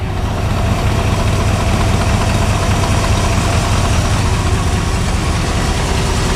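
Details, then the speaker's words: After replacing exhaust manifold and blown doughnut gaskets (broken studs): steady even low idle with no puffing or ticking at the manifold; exhaust sounds sealed, no leak. "Just glad those donuts sealed up."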